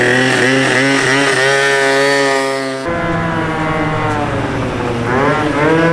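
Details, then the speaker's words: A Honda Elite 120cc stroker two-stroke scooter at first start on a 28 mm carb gives a raspy buzz that rises and falls cleanly with throttle blips. It runs healthy with no misses, just a very loud exhaust. "Dude, that thing's so loud right now. My neighbors probably hate me, bro."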